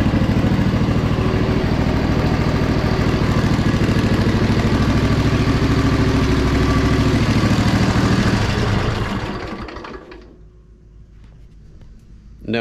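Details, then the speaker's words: Poulan Pro zero-turn mower, starting right after a blown fuse was replaced and the choke freed: steady, even twin-cylinder beat for several seconds, then winds down and stops; runs healthy. "way that was just a fuse and it just cranked up that all right well before I get ahead of myself that's crazy why didn't anybody check the fuse"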